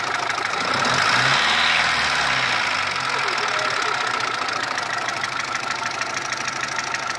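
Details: Ticking noise at idle between cylinder head and block on a Mitsubishi 1.3 engine after an engine overhaul; a quick, fairly even light top-end tick, about three per second, over the engine hum, origin unknown.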